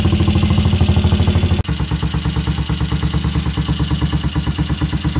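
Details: Royal Enfield Crusader, first start in 27 years (last ridden 1995): even, steady thump of the single cylinder at slow idle, firing cleanly with no misses or mechanical knock.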